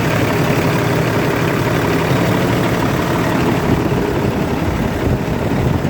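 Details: Kenworth diesel truck unused for a long time, fuel filter/water separator suspected packed and leaking: deep steady rumble idling evenly, no knocks or stumbles; engine running normally.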